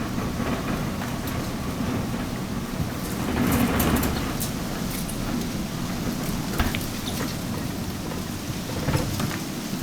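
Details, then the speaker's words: Maytag dryer: a low, continuous rumble with a rough, uneven churn that continues even with the door open; caused by a faulty blower wheel wobbling loose on the motor shaft, so it keeps turning after the motor stops. "so even though you open the door it's still rumbling and this is due to a faulty blower wheel here's the blower wheel it's just wobbly on the motor shaft"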